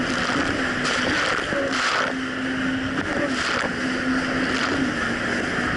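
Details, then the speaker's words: 2007 Yamaha VX Cruiser jet ski under way after a $10 fix for surging, which a narrow gap probably caused: a steady, even-pitched engine drone under wind and splashing with no rising and falling revs, quick undelayed throttle response; running smoothly. "ten dollars later jet skis seems to be running great the throttle response is very quick it's not delayed and there's no surging issue anymore"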